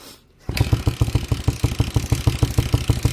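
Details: 1979 Honda CM185T (200T Twinstar) that sat in a field about a decade, first start attempt: weak uneven chuffs about three per second after cranking, catching on a cylinder or two but never settling into a run; sputtering, won't keep running.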